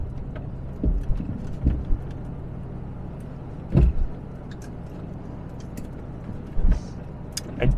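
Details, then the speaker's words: 1992 Daimler Double Six (Jaguar XJ) test drive over uneven road: dull low clunks over road noise from the right front on bumps. The anti-roll bar links were first suspected; the finding is a worn front shock top mount. "we're about to go on a bit of Road that's really uneven and we should be able to hear it yeah there's some knocking there"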